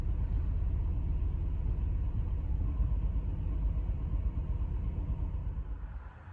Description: Fuel injector replacement 2011 BMW X5 E70 w/N55 109,000mi P0306 cylinder 6 misfire surging idle warm engine.